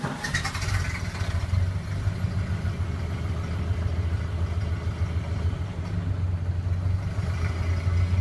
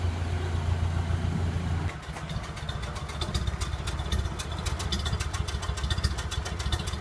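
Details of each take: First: Early 1928 Ford Model A Tudor sedan, not fully warm, on the existing reproduction muffler before replacement with an Aries system: low throaty exhaust rising with throttle, then dropping to a slightly rough idle, with a loose puffing leak at the clamp of the worn muffler. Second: Early 1928 Ford Model A Tudor after installing a new Aries muffler exhaust, fully warm after a drive: low, even idle putter with steady exhaust pulses, no hiss or ticking from leaks; normal idle.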